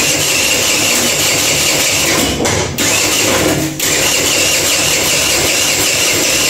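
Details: Kuba Valentino 50cc scooter whose top speed has fallen from 70-80 to 50-60 km/h, with odd noises inside the engine: harsh raspy grinding over a labouring start with two brief dips. Cause: backed-out stator screws rubbing the flywheel.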